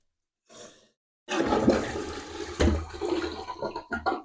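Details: Toilet after fill valve replacement (old valve would not shut off, hissed): rushing flush gives way to a steady refill surge with no hiss or trickle left behind; clean flush and refill.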